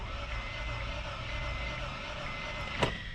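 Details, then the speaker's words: 2000 Honda CR-V, 166,000 miles, non-runner from auction: starter spins engine fast and evenly with no compression pulses, no firing and no RPM signal; distributor probably not turning, broken timing belt suspected. "so we got nothing so i don't know if you guys can hear it real well but it cranks really fast it's kind of doesn't sound like it has any compression and another thing here is we have no rpms"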